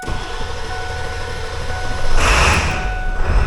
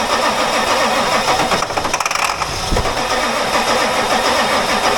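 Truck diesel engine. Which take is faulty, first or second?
second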